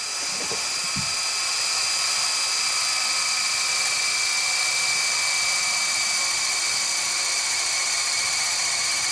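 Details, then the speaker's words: Sharp VC-MH75 VHS player rewinding a tape at full speed after switching from slow rewind: steady high-pitched even whirring; normal full-speed rewind. "it looks like it's just calculating the faster speed there we go full speed"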